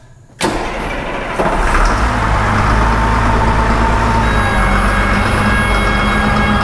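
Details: Cat 563D ex-USMC vibratory roller, 25 original hours, after full service with fuel filters changed and system bled: diesel fires promptly and settles into steady, even, deep idle; running normally.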